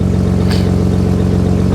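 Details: Nissan RB25DET after replacing power steering hoses and clamps and refitting reservoir cap: engine idles evenly at full lock with no whine, groan or binding from the pump; power steering sounds healthy.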